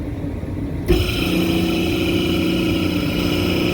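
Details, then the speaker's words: Kitchen AC fan motor starting up, rotation correct, with a rough, steady hum and whiny edge that worsens under load: bad motor bearings, motor to be replaced. "It doesn't sound good, and even worse when you put a load on it. And then when you shut it down, see if it does it. Yeah, it just doesn't sound good."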